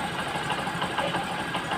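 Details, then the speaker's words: Rouser 135 motorcycle idling smoothly and evenly after repair of a noisy cylinder head (cam bearing/rocker arm area), with no tapping or clatter remaining. "Okay so Ayan guys ah umaandar na yung ating Rouser 135 so ito na ung kanyang tunog"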